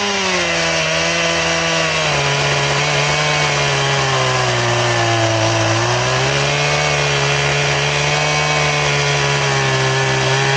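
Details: Chainsaw with its chain sharpened to a 10-degree file angle, ripping a round: a high steady scream that sags under the cut and stays loaded. It cuts very slowly, acting like a dull chain.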